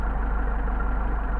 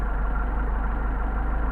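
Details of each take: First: Mercedes 190SL rebuilt Solex carburetors, idle mixture screw adjusted with tachometer, idle around 600-650 rpm: low lumpy pulsing idle sagging as the screw is turned off its best point; rough idle from misadjusted mixture. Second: Mercedes 190SL rebuilt Solex carburetors, idle mixture screw set for best idle at 650 rpm on tachometer: even steady low rumble with no misses or hunting; normal idle.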